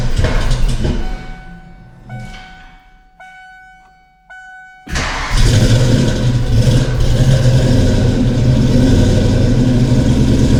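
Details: Ford Foxbody Mustang 5.0 V8 with rebuilt Kenne Bell 2.1L supercharger, 42 lb injectors and a larger mass air meter, first start: hesitant start into a loud, lumpy lope. Cylinders 2 and 4 are cold, possibly running on six cylinders.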